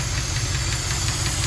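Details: 1974 Jensen Interceptor with Chrysler Mopar big block, warm idle after a 15-mile run: light, sharp ticking about five or six times a second from a noisy hydraulic lifter (tappet), before replacement.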